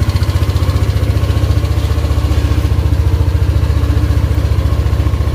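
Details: Yamaha Aerox idling after repairing the broken coolant temperature sensor wire and socket; steady, even single-cylinder putter at about four pulses a second with no stumble; MIL fault cured, running clean.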